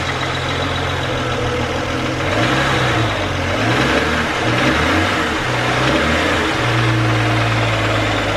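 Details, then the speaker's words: BMW petrol engine, idling and revving 1,000 to 3,000 rpm: light, fast ticking growing louder with engine speed; owner suspects a belt pulley, plans to remove the belt to check; unconfirmed. "From 1 to 3,000 RPMs, if I put my foot on the gas pedal, you hear this ticking sound get louder and louder and louder, and it might be honestly one of the pulleys."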